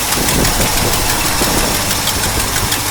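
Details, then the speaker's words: 1964 Mercury Park Lane V8, cold start, idling with a quick sharp ticking on the exhaust pulses from exhaust manifold leaks, likely one on each side. "now one thing still got to do there's still those exhaust leaks"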